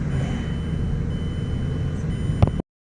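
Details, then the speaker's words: 2008 Mazda 6 four-cylinder, after replacing the passenger-side hydraulic engine mount: low, even engine rumble pulling away with no clunk, shudder or vibration, engine sitting firmly on its new mount. "okay so here we are in the car after we've replaced this mount and you'll notice no noise"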